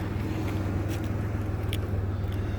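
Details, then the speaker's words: 2001 Pontiac Grand Am with head gasket leak (cylinder 3 misfire, coolant smell, white smoke), idling before reaching operating temperature after IronTite treatment: low fairly even exhaust pulses, sputter largely eased, less smoke. "Supposed to let it sit, reach temperature, and then take it for a drive, but you can already hear the difference. It doesn't sound like it's sputtering as much."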